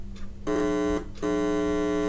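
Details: Cheap multimeter in square-wave signal-injector mode, probes into an amplifier via aux cable: two clean buzzy tone pulses near 300 Hz, each under a second; normal output, meter display blank.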